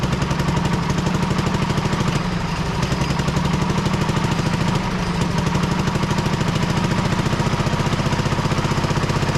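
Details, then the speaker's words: Road grader pony engine, cold morning around 30 degrees, runs only with one spark plug removed; fast hard chuffing and clatter, running rough; valve stuck open letting fuel in with no compression on that cylinder. "and it runs and as soon as I put that plug in the other side it won't run so weird I don't understand and here's the problem you would not have two valves open at the same time so this valve whichever one that is is stuck open"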